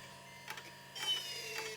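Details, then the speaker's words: Power supply fan in an old 2000s computer, while trying to oil the bearing: steady low hum with thin whirr and scratchy hiss; dry noisy bearing, owner doubts oil can help. "We're just going to try to inject some oil in there. Well, something fired it down. No, I don't think even oil can help this fan."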